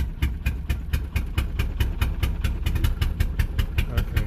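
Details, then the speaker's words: Car engine after Sea Foam and starting fluid, slow lumpy idle around 500 rpm, hit-and-miss like one cylinder firing, drum-beat rhythm; misfire from fouled spark plugs. "totally sounds like a hit and miss foreign [Music] sounds like a drum beat"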